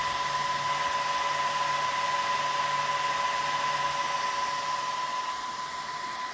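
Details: Dell PowerEdge R210 server power-up: loud, steady fan rush with a high whine near one kilohertz, easing slightly toward the end; normal full-speed fans at start-up.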